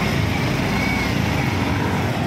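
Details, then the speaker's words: Yamaha Mio i 125 scooter idling smoothly and steadily after the connecting rod was replaced; the earlier rough grinding noise from inside the engine is gone. "wala na yung ano naala yung ibang gaspang na tunog dahil do lamat na ano conting"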